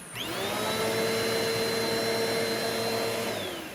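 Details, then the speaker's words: Eureka Airspeed vacuum (a curb find) after a clog was pushed out of the suction path where these cheap vacuums typically clog. The motor spins up to a clean, steady high whine with even airflow rush and no choking; the restriction is cleared. "Well, that cleared that restriction. On these cheap vacuums, that's where these things are going to clog."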